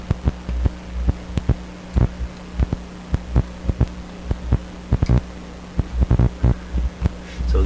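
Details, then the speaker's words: Sparton 1567 tube radio, tracing hum at one tube socket pin; huge deep hum throbbing and cutting in and out with crackly thumps as the loose socket is wiggled; intermittent connection suspected. "because I got such a whopper hump from this one pin let's hear it again oh my gosh"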